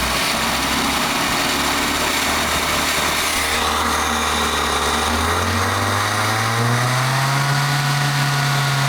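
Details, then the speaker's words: 1984 Toyota AE86 Corolla coupe, first running with timing advance not yet hooked up: steady idle, then ragged, uneven revving; idles better than it revs, cause unconfirmed. "Definitely idles better than it revs, but I also haven't hooked up the uh timing advance or anything like that."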